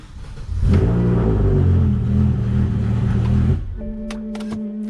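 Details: BMW M5 after a no-crank no-start: once started, the engine catches cleanly, revs up strong and smooth, then settles, followed by a dash chime. Normal start and rev.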